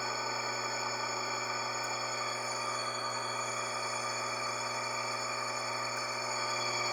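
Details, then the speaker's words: Motor with a belt drive: steady hum with a thin constant-pitch whistling whine that grows louder as belt load increases; points to a worn motor bearing due for replacement. "E aí bom então esse barulho é sentem está com a correia tem sem peso quando aumenta o peso então aumento barulho aí que que tu tá sentindo entendeu"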